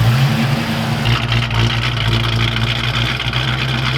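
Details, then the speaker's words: Ford Foxbody Mustang V8 freshly built engine, pushrods too short so rockers tightened with an allen key, AFRs reading lean; smooth even idle, steady deep rumble, no knocks or misses: sounds healthy. "that fresh motor sounds damn good today"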